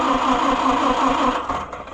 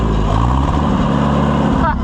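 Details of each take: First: Oliver 550 tractor after pushrod repair and valve adjustment, started off a jump box: rapid, steady cranking that fades without firing. The owner suspects poor points or flooding, and the engine starts shortly afterwards. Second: Oliver 550 tractor, very late model, after pushrod repair and valve adjustment, first test run: loud steady even engine beat, no knocks or misses, slight speed variation; running healthy.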